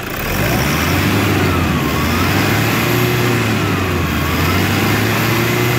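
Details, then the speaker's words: Toyota Hilux diesel revved before turbo replacement: wavering high whistle and hollow roar over the engine rumble from a worn, noisy turbocharger. "Aí você deve perguntar qual é o sintoma da turbina. É nesse caso aqui, barulho, pessoal. A turbina ela está roncando, chiando, dependendo da situação."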